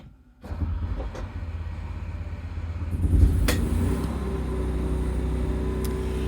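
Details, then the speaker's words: 2022 Forest River Sunseeker 2500TS RV generator with 6.6 hours: silence, then catches almost at once, surges briefly and settles into a steady, even low drone; normal generator start. "So I will run the generator. It's currently got 6.6 hours on it."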